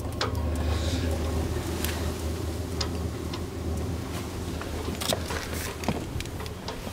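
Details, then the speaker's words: Diesel heater on an Etap 30 sailing boat, fuel lines now full of diesel and the heater firing: soft ticks about once a second over a steady low burner roar; the pump has quietened, normal fuel pump ticking. "the pump has quietened down quite a bit now that it's seemingly full of diesel"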